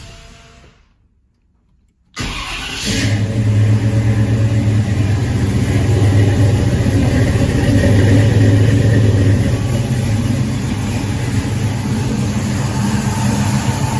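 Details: 1984 Chevy K10 V8 with mild cam and newly fitted Holley Sniper fuel injection: starter catches and settles into a steady, slightly loping idle with deep even note.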